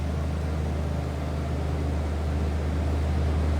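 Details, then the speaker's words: 1992 Ford F-150 XLT extended cab, 5.8-liter V8, automatic, about 40,834 actual miles, at cold high idle before warming up: deep, steady exhaust rumble with even low pulse, no misses or ticks; sounds normal, nothing crazy from exhaust. "Sounds as you would expect. Nothing crazy as far as exhaust."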